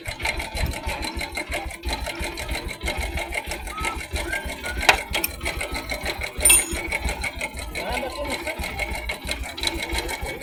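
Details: Bajaj Boxer 100S motorcycle at idle: fast, dry sewing-machine clatter; timing chain noise, fixed by replacing the timing chain, tensioner and tensioner rubber.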